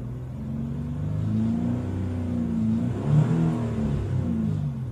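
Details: 2002 Hyundai Coupe (Tiburon) 2.7 V6: between 3000 and 4000 rpm a strange noise from the left side of the engine, an extra rumbling drone as revs climb and fall. Cause not yet found: unusual engine noise at 3000–4000 rpm.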